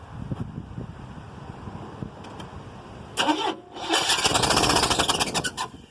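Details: 1979 Chevy Caprice: fast, even starter cranking pulses that never catch, no firing; cranks but won't start and drains the fully charged battery.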